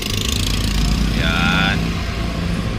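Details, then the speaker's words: Toyota Rush after the cylinder #2 no-spark misfire is fixed (coil, plugs and wiring checked): a steady, even petrol idle, described as very stable, with a smooth low rumble and no stumble or skipped beat. Engine vibration is gone. "Tapos yung menor niya napaka-stable."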